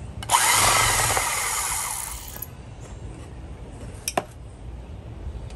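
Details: 1950s Milwaukee Model 414 Sawzall, dead since the 1980s, after cleaning out grease and dirt and oiling with 30-weight motor oil. Snaps on with steady, even buzz about two seconds, winds down cleanly, no rattle or bind; normal running.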